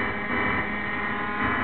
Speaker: okay that's the sound that the laptop makes coming through the board and what that is the laptops are on a DC signal and they convert that into a speaker level and then you get this noise